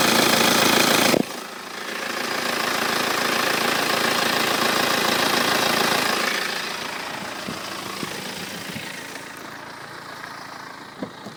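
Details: 2008 BMW 318d diesel with 140,000 km idling: a fast metallic rattle over the engine note, louder when revving and heard as the engine stops; the noise went away after the timing chain and tensioners were replaced.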